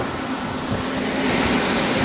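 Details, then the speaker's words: Grain dryer's big fans coming up to speed after restart, grain inside still hot: steady heavy fan rush with a light belt chirp underneath; the belts squeal a little because the fans are so big, a normal start. "those fans the belts squeal a little bit cuz they're such big fans"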